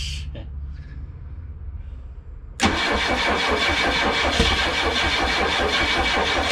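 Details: Chrysler LeBaron after distributor reinstall: starter kicks in abruptly and churns steadily at about two and a half turns a second, never catching; ignition timing set 180 degrees off by mistake.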